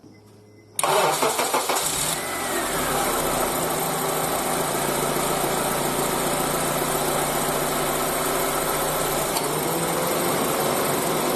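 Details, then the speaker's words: Petrol engine starts and settles into an even idle with no belt squeal or chirp, with AC on or off, after lubricating a sticking belt tensioner pulley; lubrication is only a temporary fix, tensioner needs replacing. "现在我们可以听到，不管是开空调还是关空调，这个皮带异响都已经消失了。主要是因为打了油之后，这个粘紧轮现在就是活动自如，粘紧力度它就更加到位，然后皮带粘得更紧，所以这个异响消失了。"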